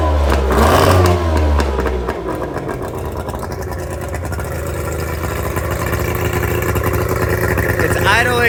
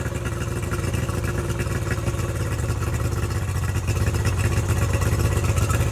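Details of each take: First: Tohatsu 50 hp (M50D) two-stroke outboard on Addictor Bambino 333, on water hose, just started after swapping in donor carburetors (originals had broken float); fast, even idle around 1200 rpm, higher than wanted, owner thinks because it's now getting fuel; high idle. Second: Tohatsu 50 hp (M50D) two-stroke outboard on Addictor Bambino 333, with swapped carburetors, idle adjusted down from about 1200 to about 1050 rpm; steady, even burble with no hunting; normal idle.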